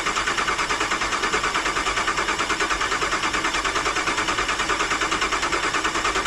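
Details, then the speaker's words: Rebuilt 2009 Hemi 1500 TRX4, fuel pump fuse pulled to prime oil: steady cranking at about two and a half beats a second, turning over without firing, tone changing as oil pressure builds (about 43 psi after about four key cycles); normal. "so the first couple of times you hear it turn over first couple of times you hear it turn over it's not expected to start it's just me building fuel pressure and then all I'm sorry oil pressure"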